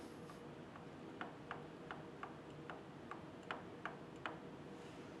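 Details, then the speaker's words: Differential setup with the ring gear moved toward the pinion and backlash adjusted at the nut: sharp metallic ticks, about nine in four seconds, as the gear is rocked by hand; still too much ring and pinion backlash. "er to the pinion gear and I've removed some of the backlash not enough you can still hear it"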